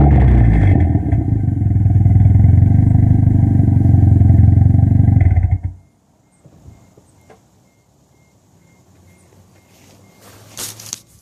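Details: Toyota ST205 engine: rough, uneven revving with a stumbling low beat for about five seconds, then it shuts off; sounds like a misfire under throttle.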